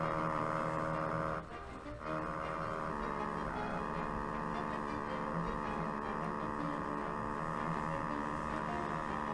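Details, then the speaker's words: 1934 Philco Model 45 radio first powered up on a variac at about 90 V, drawing half an amp: loud, steady low hum with changing tones through the speaker; owner suspects the old paper capacitors cause it. "so with all those paper caps in there it's no wonder it sounds like crap I'm sure one of these is causing that"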